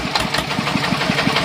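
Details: Kubota single-cylinder diesel just rebuilt, homemade open racing exhaust with internal baffles drilled through to clear a clogged pipe: sharp, even thumps about six per second, loud and raspy; engine runs steadily.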